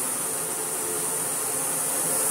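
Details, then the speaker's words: Philips Blue Magic Silence TC739 vacuum cleaner at its first power-up: smooth, strong rush of air louder than the steady motor hum, with no rattles; normal running. "oh that is an air mover and a half triking again you can't know the sound of the air coming out of the hose is more than the sound of the motor coming out of the vacuum cleaner"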